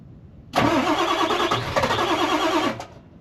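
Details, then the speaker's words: Ford F350 7.3 Powerstroke diesel, sat about a year, cold start around 35–40°F with no block heater after glow plugs cycled: brief crank, catches promptly into even steady clatter; some smoke, owner suspects turbo; healthy cold start. "not too bad for a 40° day with no block heater it's got some smoke I think it's coming from the turbo"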